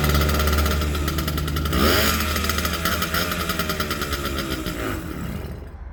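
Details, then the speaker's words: Aermacchi Z90 single-cylinder, compression about 40 psi: thumps unevenly, revs up twice, then sags and dies once the choke is taken off; stalls when choke removed, owner suspects it is flooding itself, head gasket to be replaced. "started right up and then died out once i took the choke off and uh who could have started again so i i think it's flooding itself"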